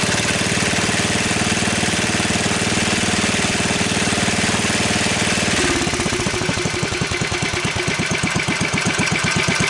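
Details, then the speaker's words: Wheel Horse 753 single-cylinder garden tractor running on choke and throttle, being refitted with electric start: a rhythmic scraping pulse builds with each turn and worsens. The flywheel was checked tight, and the cause is a guard rubbing. "Let me see what that noise is. Seems like it's getting worse."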